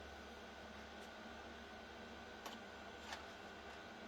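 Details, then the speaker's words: Diesel heater running on its original thermostat with the old ECU unit, after a faulty new thermostat was found to cause the problem: a quiet, steady hum and whoosh with no knocks, surges or rattles; normal running. "the old one is running perfect with the old ECU unit it was the thermostat what was playing up this is the original one I got a new one no problems as you can hear"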